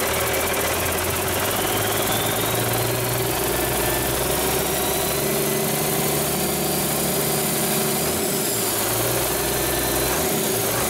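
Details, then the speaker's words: Rebuilt 8.3L Cummins diesel with inline injection pump, for a Hyster 15K forklift, first start after rebuild and fuel system bleeding, no coolant fitted: deep, even, steady idle rumble with no knocks, misses or surges, good oil pressure; normal idle. "well i think bailly would approve it sounds good to me"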